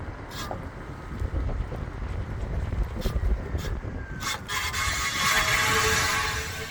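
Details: Tesla Model X rolling with a thin, high scraping squeal from a rock caught rubbing against the brake rotor.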